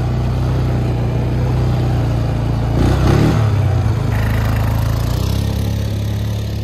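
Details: 2009 Polaris Sportsman 550 XP after a new shift bell crank (the old one was badly stripped): a steady low engine thrum with one smooth rev in about three seconds, with no clunks or slipping. It shifts as it should.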